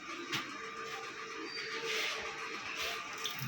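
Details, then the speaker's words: LG 15 kg smart inverter top loader (turbo drum) after an FE (water overflow) error fix: steady, even hiss of water filling the drum, stopping and restarting on pause/start; normal fill, no inlet valve chatter. "দেখেন এখন পানিটা আসতেছে, আমি একটু stop করলাম, push দিলাম, push, পানিটা বন্ধ হচ্ছে।"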